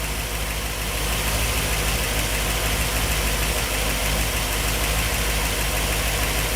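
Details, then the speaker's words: 1964 Ford Thunderbird FE 390, Edelbrock Pro Flow EFI, after fuel mapping changed to fix lean starving, still learning: steady even V8 idle, smooth low rumble, no misses or knocks — normal idle. "okay got it guys I had to make a call to uh edel Brock and we had to changed the fuel mapping a little bit it was starving itself essentially but oh yeah sounds good"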